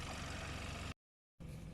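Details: 2014 Hyundai Santa Fe, 2.0 turbo, 4x4, idling under an open hood during a pre-purchase inspection: a quiet, smooth, level hum with no ticks or rattles, no leaks. The engine idles fine.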